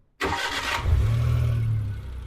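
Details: Daewoo Damas just converted to fuel injection with new ECU: brief crank, catches cleanly and settles into a steady, even idle with no misfire or knock; healthy start after the injector installation.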